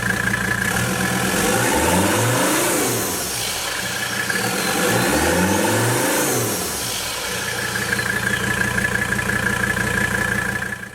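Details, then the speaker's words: 1984 Mercedes-Benz W123 300CD turbo diesel, cold engine, intake removed and exhaust system off: two rev blips bring a whistle rising and falling over raw open-pipe rumble; healthy turbo spool. "The sound is great, but of course I didn't want to rev it too much. The engine wasn't warmed up."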